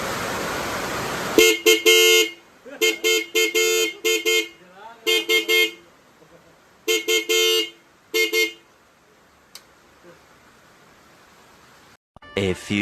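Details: Aftermarket horn newly fitted to a bike via a horn relay, tested in heavy rain: repeated loud, clear blasts, some short, some held, over steady rain noise; the horn sounds strong and healthy.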